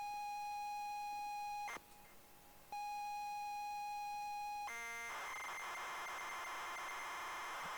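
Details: ZX Spectrum cassette of unknown content: a steady high pilot tone, a short stutter, pilot again, then a rasping data burst. A standard loading signal; it is not yet known whether the tape will load.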